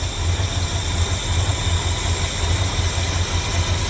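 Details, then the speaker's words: 1972 Ford F100 with 390 FE V8, just after swapping a Holley 600 cfm carb for an Edelbrock AVS2 625, with no adjustments and the automatic choke wired off: a deep, steady, even idle with no stumbling. Normal idle. "that is just straight up it's started it's running and it's"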